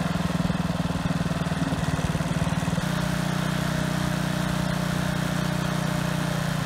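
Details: Husky HU80709A power washer engine, single-speed, with the blown water pump removed, running after a carburetor clean fixed its no-start; quick even beat settling into a smooth steady drone, no coughing or surging; runs fine.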